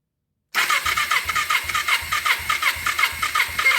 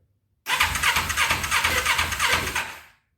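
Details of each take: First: 2000 Kawasaki Ninja 250 twin that sat about a year, compression test on cylinder 1 with a temporary battery: even starter cranking, about three pulses per second, firm even compression strokes; reads 170, good compression. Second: 2000 Kawasaki Ninja 250, cold start on full choke after carb bowl filled: catches on the starter, runs raggedly with uneven pulses about three a second, then fades out; hard starting with a very sticky choke.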